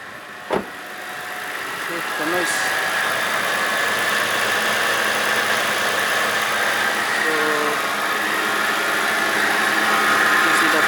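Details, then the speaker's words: Mitsubishi Pajero idling, engine bay: a faint, thin chirp over a steady idle. The owner suspects the idler pulley; the fix was replacing the idle pulley. "I observed there is a abnormal uh noise from my Mitsubishi Pajero there's a noise in the engine I don't know uh I suspected that uh the noise from from the idle pulley"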